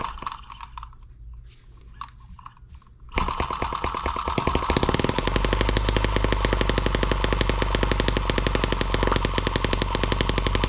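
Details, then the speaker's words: M17B small engine on the bench, first start after unboxing, oiled and fueled, before adding cooling water: catches after some fiddling into a fast, even, crackling run holding steady pitch at higher rpm; runs noisy but fine. "noisy little thing likes to jump around a lot higher rpm you guys can get a better look at it"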